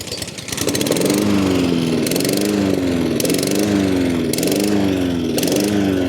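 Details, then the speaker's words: Honda HRN216 mower engine holding a steady speed with only a slight waver and no surging, after a new carburetor, air filter and spark plug; it needed a few pulls to get fuel through the system. "Alright, I got my hopes up. It's not surging anymore. Just took a few pulls to get the fuel through the system, I suppose."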